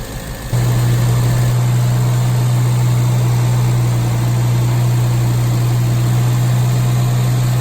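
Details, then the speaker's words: Classic Mini carburetted engine after Colour Tune mixture adjustment and fan belt and float gasket replacement: steady fast idle with strong even drone, no hunting; idling too high, idle screw being backed off. "So as you can hear, again, it's still idling a bit too fast."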